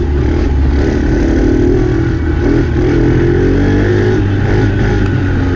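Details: Dumpster-found Chinese 48cc quad with new fuel lines, started by jumping the starter solenoid since the key is disconnected: small single runs smoothly at a steady even beat, no misses or knocks; runs good.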